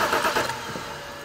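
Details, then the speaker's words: 2007 BMW 328i with a crank, no-start condition, fuel pressure gauge on the rail: starter spins the engine steadily but it never fires; spark confirmed with alternative fuel, no fuel pressure. "let's show them we've our fuel pressure gauge we're watching this one here we've got no fuel pressure on this vehicle"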